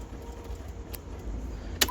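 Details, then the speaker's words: 2006 Cummins truck that sat four months, electrical fault after corroded battery terminals; key on, fuel pump heard, windows dead: quiet cab hum then one sharp starter click, no cranking; starter clicks but engine does not crank. "I can physically hear the click, which is a good sign. So that's where we're at. I can hear the click. I can hear the starter. I can hear power getting sent to the starter."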